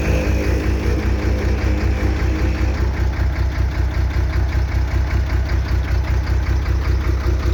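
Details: Soosan truck-mounted knuckle-boom crane: deep droning pump hum with a low pulse when lowering or slewing, starting after oil was added; oil foams and aerates, no circulation; pump sucking air.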